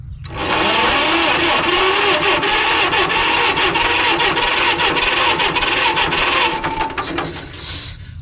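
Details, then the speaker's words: 1946 John Deere BN tractor, auction find: uneven chuffing and clattering at about three beats a second that catches, stumbles and chokes off, with lots of gasoline coming out of the compression valve; carburetor flooding from a stuck float. "Well, it sounds like it's trying to run, but it almost sounds like it's choking itself off, and we're getting a lot of gasoline out the compression valve."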